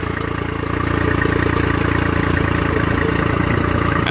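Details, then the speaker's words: Honda 40 HP carbureted outboard, sat 3 months, ethanol-free fuel, started at zero throttle on electric choke (by-starter valve): steady, even idle with smooth low beat, no misses or knocks, water pumping; normal idle during choke warm-up. "here we go that's it you let that electronic choke do its thing"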